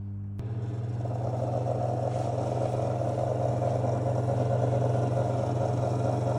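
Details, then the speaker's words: Victron MultiPlus-II 12/3000 inverter under load: once the fan spins up, a steady low hum with a faint quick rattle about two a second; noise stops immediately when load is disconnected though fan keeps running; cause not pinned down. "as the fan just come on and you can hear like a tiny rattling noise and what I can only describe as like a don't really know like a lowle noise as well"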